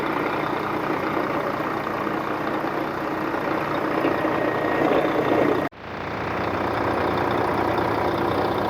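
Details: 2004 Volvo truck diesel, recorded with the hood open after the truck sat 6 years in a truck graveyard: settles into a steady, even idle rumble with no knocking or misses; sounds healthy.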